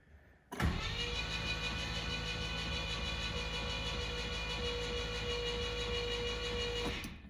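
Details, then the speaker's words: 1972 Rover 3500 P6 V8 barn find, sat 6-10 years, first crank after freeing the engine to full rotation and connecting battery: starter spins the engine evenly with smooth whine, no knocks or catches; normal cranking. "Definitely spins. I can see the top of the alternator there. Let's just crank it for a little bit."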